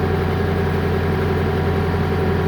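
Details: Bobcat skid steer loader with a starting problem (code L7404): steady low diesel drone at idle, even with no knock or hunting; engine idling fine.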